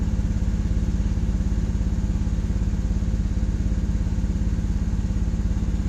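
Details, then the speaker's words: Engine idling about 20 minutes in about 10-degree temperatures: steady idle with a regular stumble about three times a second as one cylinder drops out; intermittent misfire that comes and goes. "okay 20 minutes into this you hear one of the cylinders are down right now"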